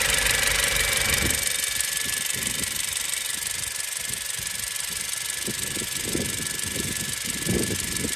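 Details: 2017 Honda CR-V at idle: a steady idle with a light, fairly regular tick about four times a second over the hum. Owner asks whether it is normal; source unclear.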